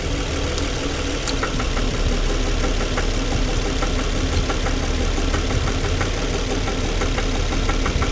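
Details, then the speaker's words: Petrol engine with coil-on-plug ignition, a rear coil being reconnected during diagnosis: steady low idle with faint light ticking and no obvious stumble, sounding better once the coil is connected, suggesting that coil is good. "so when I connect this if that coil is good it should start acting better so let's see if it acts better when I connect this it does sound like it's better"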